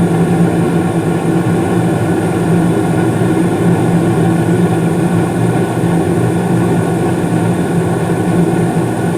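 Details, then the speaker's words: Carrier gas furnace in the basement serving the first floor, heating: steady low roar of burners and blower fan, even, free of rattles, scraping or cycling; normal furnace operation. "maybe about five seconds ago the what he call it the blower fan turned on there you go basin or first floor one started right up"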